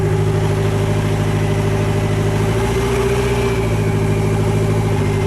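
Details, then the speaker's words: Nissan Sentra GA16 on fresh start after sitting: steady idle with a loose, irregular rattle two or three times a second that fades after startup, from low in the engine or the gearbox; owner suspects input shaft or a bad throwout bearing. Rattle at idle. "I don't know if the camera picks up that noise but that noise i believe is either input shaft or a bad throw up in"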